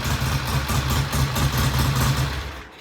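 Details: Vintage British motorcycle, idle mixture leaned to find the lean idle drop: uneven low thumping idle briefly stumbles and drops away, then settles; idling properly.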